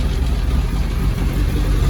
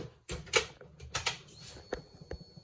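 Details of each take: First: Classic Mini Z-car, unused for a couple of years, running on old stale fuel. Deep even rumble at a slightly raised idle with no misses or knocks. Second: Classic Mini Z-car with custom body, unused for a couple of years, first start after rewiring. Low lumpy idle; suspected to need more tickover or fresh fuel.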